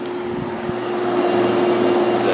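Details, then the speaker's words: Whirlpool 6,000 BTU window air conditioner: the compressor runs with a steady low hum and a constant loud hiss that stops instantly at shutoff, and the unit no longer cools; refrigerant was lost through a slow leak. "constant hiss, but let me turn it off. And it just totally diminishes instantly. So yeah, there's hardly any refrigerant left in this thing, I'm sure."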